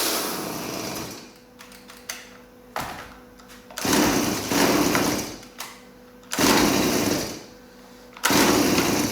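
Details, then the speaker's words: Stihl MS180c chainsaw after carburettor work, air filter refitted: revs flare in short bursts then sag almost to stalling, unstable idle; suspected to need idle adjustment via screw on carburettor side. "so it sounds like it needs a bit of an aisle adjustment"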